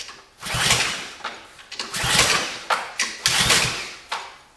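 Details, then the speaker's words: Barn-find pressure washer with side-draft carburetor, spark confirmed, old bad gas removed, choke on, fuel on; three or four short whirring recoil pulls, engine never catches; crank no start, lack of fuel suspected. "Now, it should have fired. I'm willing to bet you we ain't got no fuel."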